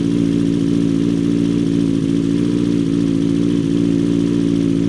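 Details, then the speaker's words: Motorbike started cold on choke in neutral for first ride of spring after winter storage: steady slightly fast idle with even low beat about two hundred a minute, running cleanly. "Obviously checked it was in neutral first, and that should get some nice oil to the top end of the engine. Then I'm going to come down here, put the choke on."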